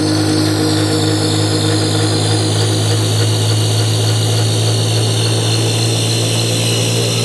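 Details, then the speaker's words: BoxMotor pulse motor with all six coils after bad-chip repair, first full run: strong steady low hum with even buzz holding pitch; big difference, running smoothly. "and we got the tack ready so we are going to fire this thing up so oh big difference"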